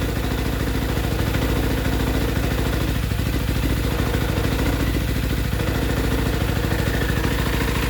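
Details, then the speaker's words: Motorcycle idling with busy mechanical clatter and whirring undertone while clutch is engaged; noise goes away when clutch lever is pulled in. A bearing is suspected. "Almost like the when I let the clutch choke, I hear that bearing. Pull the clutch in, it goes away."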